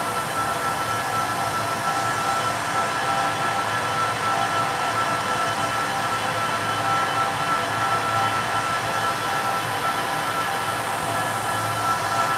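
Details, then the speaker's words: Rack servers in a data center with one power supply down; constant loud fan roar with an even airy hiss and no rhythm, fans spinning hard to signal the failed power supply. "And usually they start humming a lot louder if one of the power supplies is down. That's why you hear all that noise. It's saying, I'm having a problem. Help me or fix me."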